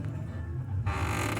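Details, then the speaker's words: 2010 Fiat Palio Fire 1.0, rear suspension pressed by hand: a short rubbing creak from the handbrake cable chafing at the axle, louder when loaded; stops when the cable is pulled away; rear springs already replaced for tyre rubbing the arch. "Aí eu vou agora pressionar e vou mostrar como era a zoada. E era bem mais alto."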